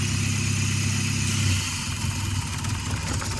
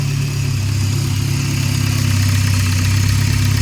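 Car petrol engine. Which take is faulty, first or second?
second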